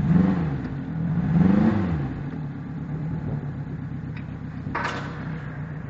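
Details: Yamaha 90 outboard with 1400 hours: uneven, lumpy low idle with irregular clattering and revs surging up and down; it is running rough because the injectors are dirty.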